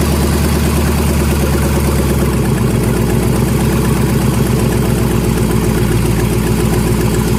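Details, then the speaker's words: 1999 GMC Yukon with LS 5.3 V8 swap, first start; loud raw open-exhaust V8 idle rumble, steady and even; engine running normally. "So another short little video, because I did promise you guys next time you saw this Yukon it would be running. I didn't say driving, I said we would be able to turn it on, so we did."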